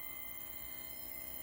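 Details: PrimaLuce Lab Sesto Senso 2 focuser on a William Optics 132 FLT in Crayford mode, during calibration: faint, steady high whine of several fixed tones holding level; motor noise of unclear cause, shaft coupler slip checked and ruled out.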